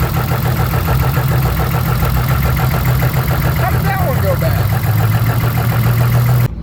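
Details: Drift car at track after coil wiring problem, coil replaced with new Volkswagen-type coils including cylinder six; steady low rumble at idle with even firing and no stumble or miss, normal idle.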